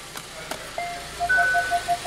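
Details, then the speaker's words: Genesis G70 in reverse, engine running: quick mid-pitched beeps about six a second, rear parking sensors detecting an obstacle normally after jumper wire restored communication past a suspected broken harness wire. "let me adjust that voltage here and you can hear that beeping because our sensors are working now right"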